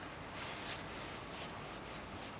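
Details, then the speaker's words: New ACDelco idler pulley (made in Canada) for a 2V 4.6 Ford engine, spun by hand: soft, even whir with no grit or crunch, bearing smooth and healthy, unlike the old crunchy one. "this roll is pretty nice listen to this is brand new"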